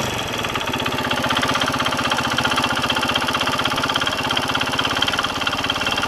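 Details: Kawasaki KSR110 small single-cylinder at idle. A shaky noise from the tensioner was fixed with a new tensioner, but after riding a new noise came from the piston/head. Fast, light ticking over the idle; source unconfirmed. Top-end ticking.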